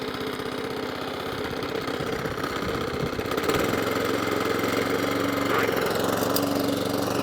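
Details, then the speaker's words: Suffolk Punch Atco Allett mower, Kawasaki FJ100 single-cylinder, after a full carb clean; started with choke. It catches into a steady, even putter that firms up as drive and cylinder engage and it cuts grass; running properly. "Yeah, baby. That's nice. That's cutting too. Bit of grass coming out the old front."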